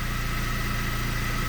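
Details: 2012 Kia Sportage 3, G4KD engine, 76,000 km, first start after a rebuild for scored cylinders and knocking: steady, even low hum with a smooth regular beat, no knocks or ticks; a healthy idle.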